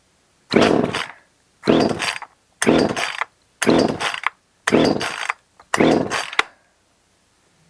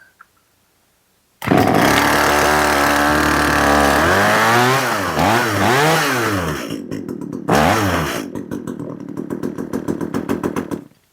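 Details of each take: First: Echo CS 370 chainsaw after cleaning old fuel and carburetor, primed and choked: six short bursts of raspy two-stroke revving about a second apart, each dying off; now fires and runs but mixture not yet tuned. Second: Echo CS 370 two-stroke chainsaw, chain sharpened, running outside: revs swoop up and down unevenly, then it stumbles and sputters and dies; carburetor won't respond to tuning, plastic limiter caps prevent proper adjustment.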